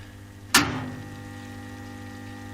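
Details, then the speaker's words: Car battery charger switched up while charging a small disability-scooter battery: a switch click, then a soft steady fizzing hiss under a faint hum, the battery overcharged with its electrolyte boiling. "It's charging way too much for that little battery up there. If I switch it up, you can hear it"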